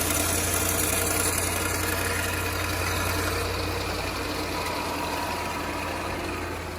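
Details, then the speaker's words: 2013 L405 Range Rover Supercharged at 115,500 miles with a check engine light for camshaft position and an erratic cold low-rpm idle. A quick metallic chatter at idle comes from a slack timing chain; the bank 2 tensioner failed. Timing chain rattle. "The noises that we're hearing, now the check engine light with this, I'm definitely thinking it's the timing chain. They're known to be problematic in this car. You can hear the chain."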